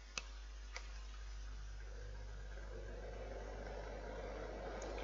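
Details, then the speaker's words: Fan heater after a temporary repair with electrical tape on the fan spindle, thermostat turned down: a couple of clicks at start, then a soft, steady whirr with no rubbing or knocking; the fan runs normally. "that's spinning you can hear the noise and so there you go guys that is how to fix a fan heater with some sticky tape"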